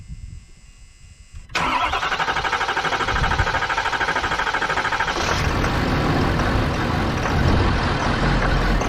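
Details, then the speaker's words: Ford F350 6.7L Powerstroke diesel after draining gasoline mistakenly put in tank and reconnecting fuel line: cranks, catches hard, stumbles into uneven clatter; owner thinks more key cycling to purge fuel line needed. Rough start. "you could hear it when it first started it was grumpy i should have probably cycled the key the switch a few more times to purge it out better but either way she was cranky she stumbled then she fired"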